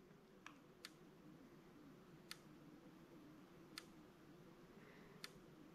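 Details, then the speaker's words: Electric fence charger connected through a Midnite Solar 300 AC surge protector: sharp faint clicks roughly every 1.5 seconds in a quiet room; charger pulses normally while the SPD holds voltage down. "and you can see the needle doesn't even twitch when it ticks so that's conducting and holding that voltage down to a really safe level for all your equipment"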